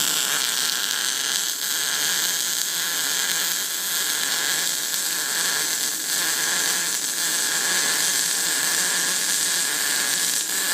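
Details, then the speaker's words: YesWelder Firstess MP200 MIG welder at 120 amps on a welding table build; steady loud frying hiss with faint irregular crackle, running cold and leaving a crowned bead; cold MIG weld. "definitely on the cold side though for this is 120 amps"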